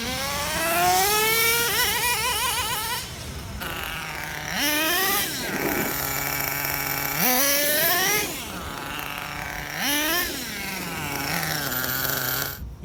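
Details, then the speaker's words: Redcat Earthquake 3.5 nitro monster truck on factory needle settings, engine head not yet warm; revs climb and fall through the shift to second gear with a slight stumble at low speed; low-speed needle suspected a little off. "didn't bog down that much other than when it was in low speeds that's a good indicator that our low speed Edel still a little bit off"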